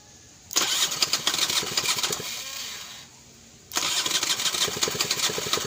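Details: Honda Flash S stock scooter: two separate starter cranking bursts with a pause; engine spins but never catches into an idle, hard starting.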